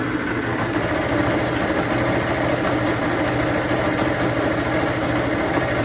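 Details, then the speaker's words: Motorcycle idling with a rough, rattly rumble under a steady beat from a failed clutch bearing. Pulling the clutch cable makes the wobble felt by hand; it also oscillates when shifting. The engine is to be fully rebuilt. "ela tá com barulho no rolamento de embreagem estourou como que faz para saber sem abrir o motor"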